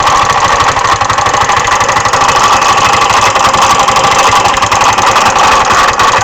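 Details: GY6 150cc MD 150T-6 scooter running steadily with a busy metallic clatter or knock inside the engine that tracks idle speed. Performance is not affected; clutch, variator and belt ruled out, and the oil shows no metal shavings. Cause unknown.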